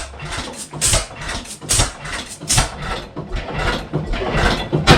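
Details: 1912 Goold Shapley Muir 12 HP hit-miss gas engine, unrun about six years, primed into the cylinder with a new oiler: heavy uneven chuffs about one a second, firing and coasting; plug possibly fouled from running rich; hit-miss engine running.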